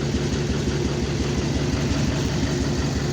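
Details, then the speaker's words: Dirtymax diesel truck started after months with dead batteries, idling in driveway with hood up; lumpy uneven beat, cooling system pressurized from blown head gasket, probably running on seven cylinders: rough idle from blown head gasket. "Got cooling pressure in the cooling from the blowing head gasket. That's what it sounds like when she's running. She's only running probably on seven cylinders right now."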